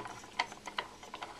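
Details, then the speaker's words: Small 6-coil 3-phase axial flux alternator with saw-blade magnet plates, hand-spun without real bearings and not held down, wobbles with uneven sharp clicks and rattles; rotor clatter from lack of proper bearings. "you can hear you can hear the noise because I need I need something to hold us down would make the noise"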